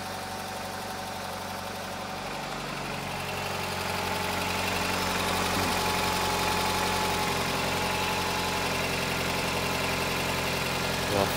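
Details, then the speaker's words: 2009 Nissan Cube CVT, 195,000 km, after overfilled dirty fluid replaced and filters cleaned: steady idle with a low even hum and no pump whine; the former whine is gone, transmission sounds normal at rest. "oh there's Carlos does that sound fairly normal Karl both thinking it is that's frickin awesome Wow I wonder if it's a healthy CVT in there"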